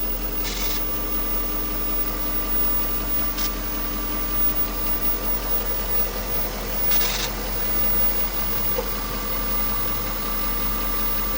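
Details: 1998 Jaguar XJ8 X308 V8 after a cold start; steady idle with a short static-like crackle every few seconds, not following engine speed, started in recent weeks; owner fears timing chain, upper secondary tensioners previously replaced; intermittent crackle at idle.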